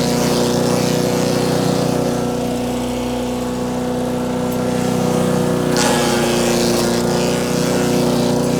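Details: Wood chipper chipping branches after a broken ear was welded back on; engine holds a steady, even drone with no stumbling or knocking. Normal running under load.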